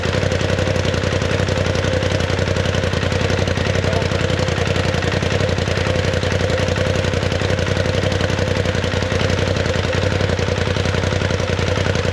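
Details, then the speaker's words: 2019 Polaris XP Turbo, about 5,500 miles, after engine rebuild for failed crank bearing: first start runs but with a little rough idle and lots of vibration; uneven, clattery, shaky beat near four pulses a second, traced to swapped MAP sensor plugs. "It seemed to be running all right. It had a little rough idle. It was kind of a lot of vibration going on."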